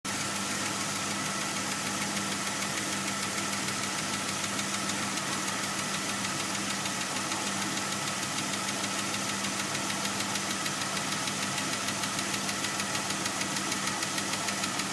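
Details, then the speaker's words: 2003 Jeep Grand Cherokee WJ 4.0 at about 150k miles, not yet fully warm, with normal oil pressure: light intermittent ticking about twice a second over the idle, coming and going every few seconds and getting louder. Owner suspects a lifter tick. "the tick's gone now it'll come back in about 10 seconds five seconds back now it'll go away come back intermittently"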